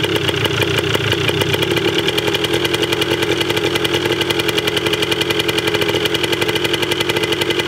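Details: 1980 Yamaha DT 125 Enduro two-stroke, first start, battery uncharged, very low compression noted, carb not yet cleaned: crisp even ring-a-ding popping at steady fast idle, no misses or knocks while warming up.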